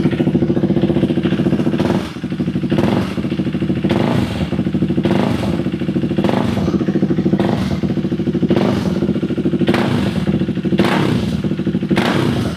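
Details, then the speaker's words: KTM Duke 390 V2 single-cylinder idling steadily with an even quick thump and light clatter, after sitting unused over a month; fuel pump wasn't priming, revived by tapping it, now starts on one click and no longer stalls; runs fine. "So far so good. Okay pa yung andar ng motor."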